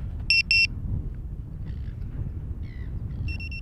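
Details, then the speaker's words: ViFLY Beacon lost-model alarm, picked up after sitting still and beeping every few seconds: two sharp high beeps, a pause, then a steady high continuous tone as if someone found it. "and if I pick it up it should get continuous is if someone's making a fine"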